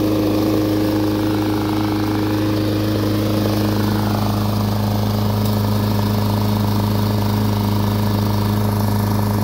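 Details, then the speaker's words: Snapper commercial mower with a 6 hp Subaru single-cylinder engine, carburetor blown clean after it would only run on starting fluid: steady, even drone with no sputter or surging; normal running. "i opened up the car blew some air through it runs like a champ so let's fire it up"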